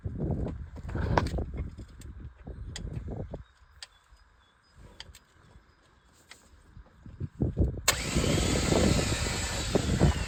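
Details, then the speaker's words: Old wrecked Renault 4x4 timber lorry: starter churns in uneven bursts then a long steady grind, never catches or fires; cranking without starting. "Why is it turning? I'm literally hitting it and it's going all the way and it's not."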